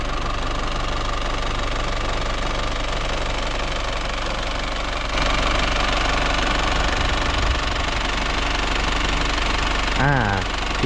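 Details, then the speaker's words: Isuzu TFR van diesel, just started after a roughly 100 km test drive with temperature normal, no leaks, new battery, heard from outside: even diesel idle clatter with a regular beat, no misses or odd knocks; smooth normal idle. "ต้องยนต์เรียบเนียนดีนะครับ"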